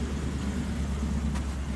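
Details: 2016 Ford F-150 5.0 V8 after fixing no-crank no-start (owner unsure, combination of sensor changes): steady low rumble with even beat, no ticking or knocking, check engine light off; normal idle.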